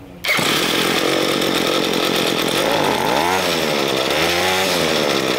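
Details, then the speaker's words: Ryobi ES30 two-stroke string trimmer after carburetor cleaning, main fuel screw enriched half a turn after running too lean: high buzz revs up and sags, bogging briefly before climbing; still hesitates to accelerate. "you can hear the engine how he hesitates to accelerate because it's too lean"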